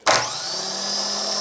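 Sharp engage, then a smooth steady high whirr with no clicking or grinding, cutting off cleanly; a healthy starter spinning freely.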